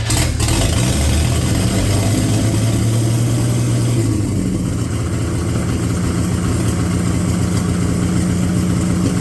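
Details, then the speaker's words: 1950 Chevy 1-ton truck, abandoned 216 inline-six started after sitting, run through a couple of heat cycles on used oil: rough, chuffy idle with a miss and a dull bottom-end knock underneath; possibly a thrown rod. "yesterday I ran this thing through a couple of heat cycles and it's h quite uh chuffy and uh it's got a miss and a bottom end noise that uh doesn't sound too good"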